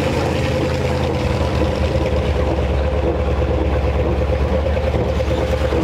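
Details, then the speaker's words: 1957 Chevy Viking truck, low geared, driven for the first time after sitting about 50 years: a heavy low drone with an uneven chuffing pulse about three a second while rolling. A carrier bearing noise was noted and the driveshaft sounds terrible; cause unconfirmed. "Shaft sounds terrible. Sounds like a choo-choo train coming down through here."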